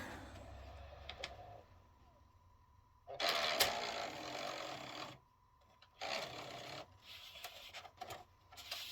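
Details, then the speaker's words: PS3 that shut down during play, partly reassembled and test-powered: raspy grinding in short bursts with quiet gaps from the disc mechanism; worn disc drive gear train, better than before but needs replacing. "Well, that is definitely not optimal, but it's better than it was before. So that gear train needs to be replaced."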